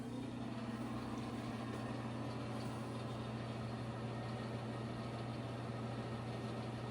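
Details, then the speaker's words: Old bathroom ceiling exhaust fan after cleaning and reassembly runs with a steady low hum and soft airy whoosh, no rattle or grinding, much quieter than before. "an old fan, but it's still much quieter than it was before."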